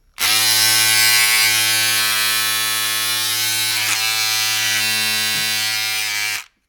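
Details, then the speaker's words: Remington MB-200 hair trimmer, about five years old, lately much noisier: harsh steady buzzing at constant pitch, far louder than normal, caused by a loose trim piece on this older model. "I use it for my haircut my bird and stuff but what happens is that lately it got really really noisy let me just see this"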